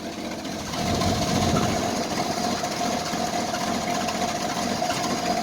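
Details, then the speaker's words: Carbureted Jeep Wrangler YJ cold start at about 25 degrees after sitting; the engine catches and settles into a shaky, lumpy, unsteady idle. Owner says it's shaking and suspects an exhaust leak; rough cold idle. "Oh, it's running. Maybe. Oh, she doesn't sound happy about it, does she?"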